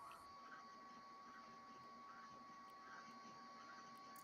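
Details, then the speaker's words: Old hard drive powered up, close to the headset mic: faint ticks about every 0.8 seconds over a steady high-pitched whine, the "ticking sound of death". The cause is not confirmed. "so we have uh power going to a drive which is making the ticking sound of death"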